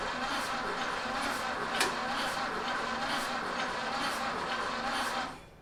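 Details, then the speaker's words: 1930 Ford Model A four-cylinder after sitting seven years, now re-timed: slow even idle with steady firing pulses, no misses or knocks; spark advance and throttle being hand-adjusted. "I paused after this came back the next day and and you know re-timed it didn't put the slot back in at this time and uh and it finally cranked foreign here we are with the cooler head after re-timing it"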